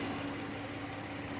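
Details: 2017 Audi Q7 3.0 idling with an uneven, shaky pulse instead of a smooth hum. The engine shakes, a Warning message shows, and the scanner reads code P0304, a cylinder 4 misfire.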